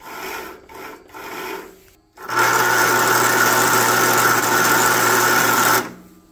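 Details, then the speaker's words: John Deere LT160 Automatic mower left outside for years, first crank attempt on a flat battery boosted by an old charger, terminals still dirty: strained droning crank about 3.5 seconds without catching; owner suspects near-zero battery voltage. "sounds a little rough probably because we're running on zero volts right now"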